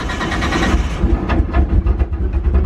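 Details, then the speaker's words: Nissan 180SX (LHD S14) on a Haltech ECU idles lumpy and uneven with stumbles, sounding like a lawnmower and running very rich; it is misfiring on fuel-fouled spark plugs. "It is running like shit. It does have fueled up plugs."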